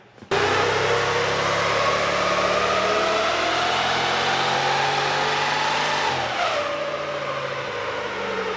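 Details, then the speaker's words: VEE080, a boosted LS drag car, makes a clean full-power run. The rising engine note pulls smoothly with no stumble and then eases off. It's called good after about five runs with no breaking up. "right oh guys so i've got about five runs with no breaking up so we're calling that good"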